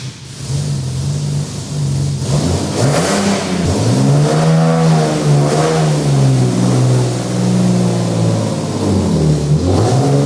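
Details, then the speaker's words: Nissan 370Z project, not properly driven in about 2.5 years, widebands and O2 sensors not yet installed: the engine catches and runs cleanly, with several smooth rev rises and falls over a steady idle. Healthy and responsive. "we have finally finished the 370Z. Well, not 100% completely finished, but you could hear it is running."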